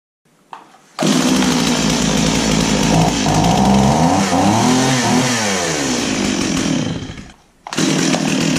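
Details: Stihl chainsaw after its pull-start repair: the recoil spring was overwound and a wrap was taken off. It fires right up and revs cleanly up and back down with a crisp, even two-stroke note. Running properly.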